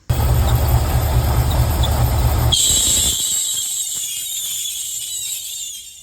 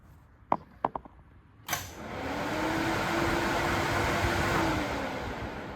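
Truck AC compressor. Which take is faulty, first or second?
first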